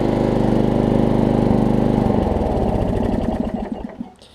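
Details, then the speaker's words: Riding mower with a 12.5 hp replacement engine (quiet package, push-button start). Fires right up; a single cylinder thumps at a steady even idle, then winds down at shutoff. Normal idle. "i mean it fires right up gotta put a new brand new battery in it"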